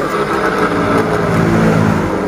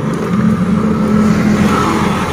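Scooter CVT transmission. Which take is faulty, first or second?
first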